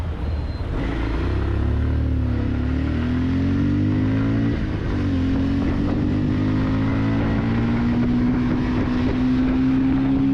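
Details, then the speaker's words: New 2026 Bajaj Pulsar 150 twin-disc single-cylinder accelerating in third and fourth gear with strong mid-range; exhaust note responds to every throttle opening, pitch climbing smoothly with a clean, deep tone; normal exhaust note under acceleration. "మంచి top speed కొట్టాలన్న feeling కలిగించే విధంగా ఆ exhaust note అయితే ఉంటుంది. మనం థ్రోట్లు open చేసినప్పుడల్లా దాని response exhaust సౌండ్లో వినిపిస్తూనే ఉంటుంది మనకి. చాలా మంచి ఎగ్జాస్ట్ నోట్ అనమాట."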